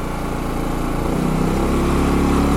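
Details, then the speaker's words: New Champion 6500 W inverter generator at 0.1 hours, in an echoey garage, eco mode switched off: steady hum rises in speed and gets louder partway through, smooth and even; healthy inverter stepping up. "guys hear that? Got a little louder. I'll turn that on as it's nice and quiet."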